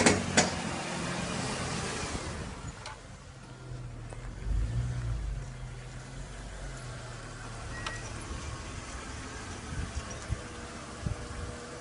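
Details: 2002 BMW X5 E53 3.0i pulling away with a low engine drone broken by scattered knocks, rattles and sharp pops under acceleration. CV joints and driveshaft were already replaced without a cure; the cause is unknown.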